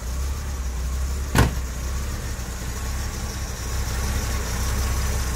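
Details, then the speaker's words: Late Series 1 Daimler Sovereign (Jaguar XJ6) 4.2-litre with newly fitted electronic ignition, after first start and choke off: smooth, low, even idle about 650 rpm, the correct speed, with one sharp click partway through; normal idle. "Oh yeah, she's running so nice. Yeah, we're about 650 RPM now, so that's about where she needs to be."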